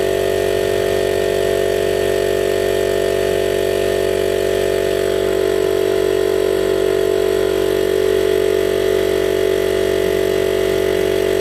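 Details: DIY 12V compressor on a recycled 40 L tank, big permanent-magnet motor drawing about 30 A, rated 72 L/min, pumping toward 100 psi. Steady even drone, regular pulse about two and a half strokes a second; normal running.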